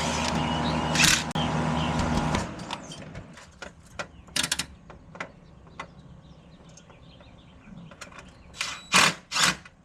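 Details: Lennox AC and furnace with intermittent operation, outdoor unit: bursts of rapid dry clicking and rattling, hum dropping out after two seconds; system contactor chattering, traced to a faulty zone board, loose wire nut also suspected.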